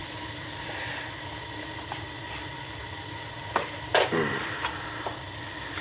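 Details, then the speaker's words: Old gas boiler, about 20 years, that had been clicking with no heat: after the faulty ignition controller was replaced (the gas valve was fine), the burner holds a normal flame with a steady soft hiss and roar, plus a few handling clicks. "That's a nice sound right there, huh? Yes, it's a nice sound. So it wasn't the gas valve, it was that controller."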